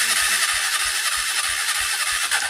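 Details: Honda Cargo motorcycle that began making an engine noise after a fall: after the rocker arms and tensioner were adjusted and oil was added, the engine catches and runs at a quick, steady beat with a bright clattering top end, starting and idling normally.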